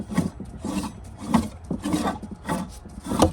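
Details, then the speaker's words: Corvette Z06 removed water pump, bent and locked up, leaking from the bottom; gritty rasping grind in bursts about once a second as the shaft is turned by hand, worn bearing, pump being replaced. "Listen to this thing. You can see how bent it is. It's locked up. I can't even spin it. Listen to that bearing."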